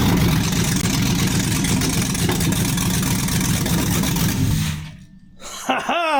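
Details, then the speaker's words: 1957 Chevy 3100 pickup with a swapped 5.3 LS V8 on a minimal wiring harness, first start after a backwards fuel pump was corrected: fires and settles into a steady, even idle rumble. "There we go. Well, in it runs. What a relief. I had the fuel pump backwards."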